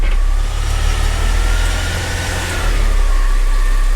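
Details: 2005 Mercedes CLK320 W209 M112 V6 after starter replacement, car raised with reverse selected and the wheels spinning: a steady low idle with a faint even whir from the driven wheels, no clunks or slipping. Reverse engages normally.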